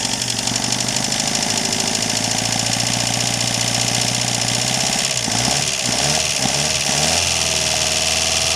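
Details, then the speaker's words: Chrysler Galant 1600 wagon, sitting 30 years, running cold on first start: steady run under loud hiss with faint quick metallic ticking; owner thinks pre-ignition rather than conrod knock, not confirmed. "Sounds like a pre-ignition noise or a from here anyway. But anyway, it does run quite exciting still."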